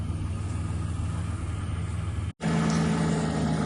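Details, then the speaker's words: 1986 Ford Ranger XLT SuperCab 4x4, abandoned 16 years, running on varnish-smelling old gas from the front tank: even, steady low rumble at idle with no stumbles or knocks; idles smoothly. "all right so apparently it uh runs pretty good idles uh pretty smoothly and it has May since the first time I started it"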